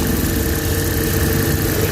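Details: Suzuki Big Eye F6A three-cylinder fuel-injected, after fixing low power, throttle delay and engine vibration: short stretch of steady, even idle with no misses, shakes or surges; smooth and healthy.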